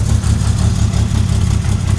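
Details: 1998 Mitsubishi Eclipse RS at idle: heavy, regular low thumping several times a second that rises with revs; owner suspects the transmission, source unconfirmed.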